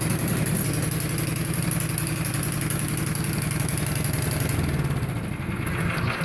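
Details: Craftsman MTD 179 cc single-cylinder snowblower after transmission replacement, drive bail engaged. Chugs along evenly under drive load with no knocks or grinding, and the machine propels itself. Normal running.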